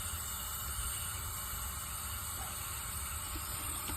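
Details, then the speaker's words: Diesel fuel pressure regulator after installation: constant, even hiss over low engine rumble without pulsing or sputtering, no fuel leaking at fitting; consistent hiss is normal, regulator fine. "you'll be able to see what a normal regulator sounds like again there is no problem with this guy's regulator in the next video"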